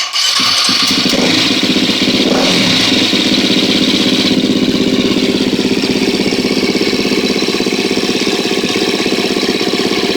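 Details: 2013 KTM 250 EXC-F after valve clearance check and Dirt Tricks cam chain tensioner install, first start with tank back on: crisp, even single-cylinder idle with a steady fast beat, no ticking or rattling; sounds healthy so far.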